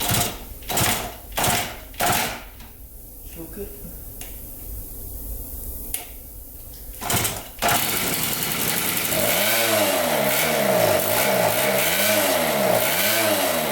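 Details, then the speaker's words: 1974 Honda Elsinore MR50, a 50cc two-stroke, surging as revs swell and sag about once a second on their own. No carb air leak found and re-cleaning the carb didn't fix it; the owner suspects it needs a new carburetor. "as you can see when I rev it up sometimes it wraps up high when you drive it it's a good I just and then like it goes back down then it pops back up again and then goes back down pops back up again it's super strange"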